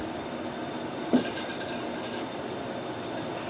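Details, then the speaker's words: 2013 Polaris RMK 600 144 snowmobile powered from a 12 V battery for TPS adjustment: single soft clunk on power-up then near silence; fuel pump priming normally. "you can hear uh a little clunk clunk which is just the fuel pump. So you can hear the fuel pump running."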